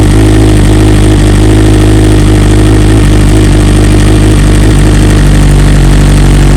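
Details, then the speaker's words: 2020 BMW S1000RR true cold start next day, unstarted since, after two coils replaced under warranty, stock software 2200820, no flash: steady inline-four idle, deep rumble, slightly lumpy from cold, no knocks or misfires; owner says stock cold start kind of sucks; normal. "And it's obviously the cold start, regardless of what software you have, it does kind of suck. It's not really how it should be, but that's why we have flashes available."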